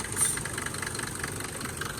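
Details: Mercedes W124 after fixing the serpentine belt squeak and correcting belt alignment: a quiet, smooth diesel idle with no squeal or chirp. A normal idle.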